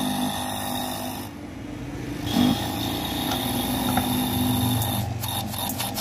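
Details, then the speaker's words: Kada 850 gas/air pump running after repair of a magnet fault, speed controlled by a dimmer knob: steady motor buzz with a rough rattling edge; pressure is up but it runs loud, and loosening its screws is expected to end the noise. "दोस्तों ये शोर बहुत ज़्यादा कर रहा है, इसके ये पेच लगे हुए हैं दोस्तों। ये पेच हम खोल देंगे तो ये इसका शोर जो है वो ख़त्म हो जाएगा।"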